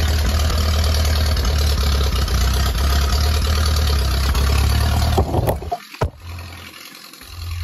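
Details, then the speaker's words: Ferguson T20 barn-find tractor out after 38 years standing, some small leaks remaining; steady low four-cylinder chug runs evenly for five seconds then drops away; normal running. "there is some smaller leaks but I can take care of that later because now it's time to take this tractor out in the real life after 38 years of standing here"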